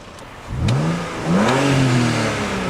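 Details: BMW engine, warm after about half an hour of running: clean rise and fall in the engine note as it is blipped twice, smooth and even with no knocks or misses. Normal revving; sounds healthy.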